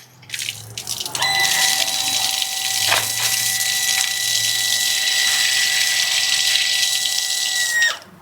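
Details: Shimizu PL-122 BIT water pump working as a booster via a flow switch, tap opened wide (flow above 3 L/min): pump kicks in, then a steady whine with a clear high tone over rushing water; running smoothly.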